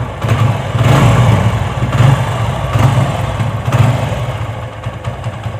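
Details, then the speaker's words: TVS Apache single-cylinder engine after engine rebuild and clutch bearing replacement: even idle between light throttle blips, no knocking or clatter; the earlier "bad-bad-bad" noise is gone, normal idle. "कि अब आवाज नहीं है बड़ बड़ बड़ बड़ करने कर रही थी जो पहले थी कर दो [प्रशंसा] कर दो कर दो अच्छा ठीक है भाई यह काफी अच्छी साउंड हो गई अब"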